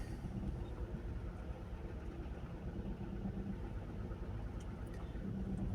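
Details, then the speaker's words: Skoda with a check engine light on, driven out of the garage running on 3 cylinders: very rough, uneven, lumpy low drone with irregular stumble and cabin shaking; single-cylinder misfire. "Again, there is a specific sound when the engine drives on 3 cylinders. Sounds very rough."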